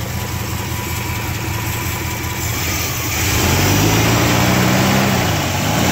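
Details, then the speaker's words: 1969 Buick GS California with a 280hp 350 V8, Turbo 350 and very low miles, idling with oil pressure near 40 psi: a smooth, steady V8 burble that lifts briefly with throttle, no knocking or ticking, and only slight condensation at the exhaust. A healthy idle. "Engine sounds good, no obvious knocking going on. See any smoking? A little condensation, nothing bad."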